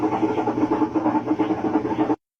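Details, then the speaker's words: Washing machine that leaks water and is noisy during spin: a steady low drone with a quick pulsing throb, about four beats a second. The centre shaft/post and its seal are worn with use, so the leak comes from the tub centre; worn shaft and seal. "Todo esto proviene del centro de aquí de la lavadora. Aquí, aquí en la en la parte de a medias lleva una flecha, un poste y lleva un empaque."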